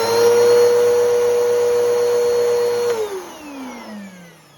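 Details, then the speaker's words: Older Bissell PowerForce Helix 2191 vacuum: shrill, constant high-pitched motor whine while running, then a smooth wind-down; motor sounds a little funky, cause unknown. "so this is what the Bol power first Helix sounds like and yes the motor is a little bit funky on this but uh it'll have to do"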